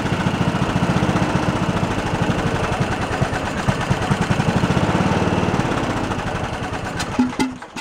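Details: Abandoned Poulan Pro riding mower engine with a missing valve keeper and loose valve adjustment: chugs on choke only, firing gets ragged and fades, then stumbles and quits; clogged carburetor idle circuit, no bottom-end knock.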